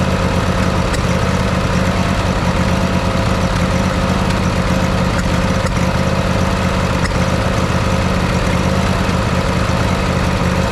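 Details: Craftsman YT4000 riding mower with a 24 hp Briggs & Stratton 724cc V-twin, reported cutting in and out: steady chug with irregular surging swells and popping and crackling, after carburetor replacement; air leaks sprayed for, spark plug to be changed next.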